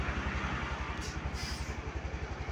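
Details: Honda Beat Deluxe scooter, about 2023–2024, after tightening loose coil and TPS connectors, idling around 1300 rpm: quick even single-cylinder putting, no misses or stumbles; normal idle.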